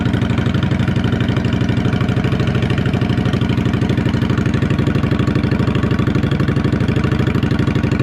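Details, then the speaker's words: Motorcycle with Vance & Hines exhaust, first start of the day after wiring work: even, steady idle thump about three beats a second after cold start, no knocks or rattles; healthy engine, normal cold start idle. "hey just start cuz hasn't been started today it's going to be started at cold start hey cold start"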